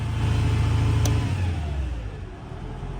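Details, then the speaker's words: 1987 boom truck on high/low engine speed switch: holds a raised steady speed then eases toward lower idle, smooth with no knocks; owner suspects high speed while retracting jacks caused earlier hydraulic blowout. "he would always caution people not to use that switch right there. That's a high and low engine speed. I'll show you."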